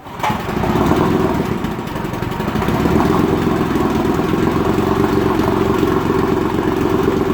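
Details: 1956 Evinrude Fastwin 15hp two-stroke outboard in a water bucket, after converting its dual-line pressurized fuel system to single-line, choke pulled, low- and high-speed knobs seated clockwise: catches after a brief crank into a fast, steady buzzing run without misses; fuel system working.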